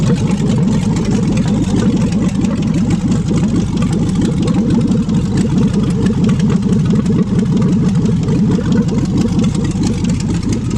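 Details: 5.3L LS V8 for a swap, first start on an engine stand after fuel pump priming: loud, steady V8 idle with an even low rumble and no knocks or stumbles; normal idle.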